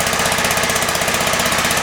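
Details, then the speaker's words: John Deere STX38 mower, Kohler CV12.5 single-cylinder, new camshaft fitted after the exhaust lobe wore out. Fast idle at about 1800 rpm during cam break-in: an even, steady putter with regular firing and no knocks or rattles. Healthy. "it's running about 1800 rpm right now and that's what we need to run it for five minutes"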